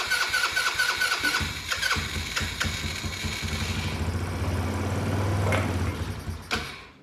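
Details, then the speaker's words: Cheap Chinese buggy sitting 2 years, air cleaner removed: starter churns unevenly for seconds, brief weak hum then dies without catching; fuel delivery issue, since gas down the carburetor made it run briefly. "Yep. Well, it's definitely a fuel delivery issue because I poured a little bit of that gas out and it looked pretty good."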